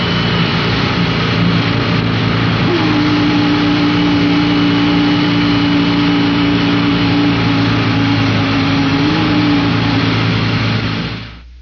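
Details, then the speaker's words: Air-cooled Volkswagen in gear, clutch slowly let up: a steady weird howl over the idle from a failed pilot bearing, which supports the transmission input shaft. "That's a bum pilot bearing. This bearing is located at the front of the engine. Front is front of the car and supports the trance input shaft. When it goes, it makes that weird howling noise."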